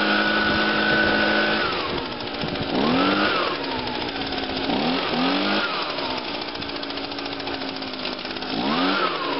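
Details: Echo PB 251 two-stroke blower after fuel line replacement, started on first pull with choke and priming; buzzes steadily, rising and falling cleanly with throttle blips, no stumbling; normal running.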